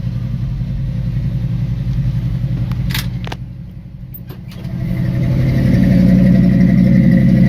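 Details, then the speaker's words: 1974 Ford F-100 pickup cold start after sitting three or four days; cranked, then two plus two throttle pumps. A steady, even low rumble that dips, then climbs smoothly to a clean rev. Normal running. "I just give her two pumps didn't want to go so give her another two pumps oh she's about to go there she is she's running"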